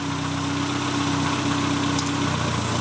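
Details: Renault Twingo after a no-start apparently traced to a tripped inertia fuel-pump cut-off switch, now reset; steady even idle with smooth low rumble, no knocks or misses; normal idle.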